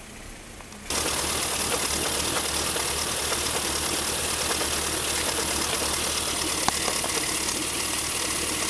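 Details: BMW M3 E36 3.0: busy, uneven, unsteady rough idle with hard shaking after an instrument cluster change; no error codes. Fixed: the new cluster did not pass the differential speed signal to the ECU, so fuelling went wrong.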